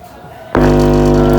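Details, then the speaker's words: Speaker tested without amplifier by feeding mains power directly to the 500 W coil, no cabinet: hum comes in abruptly and stays clean and even, no rattle or scraping buzz; speaker coil healthy. "ini ciri-cirinya yang normal. Kalau ini normal gak apa-apa masih sampai nanti gak apa-apa."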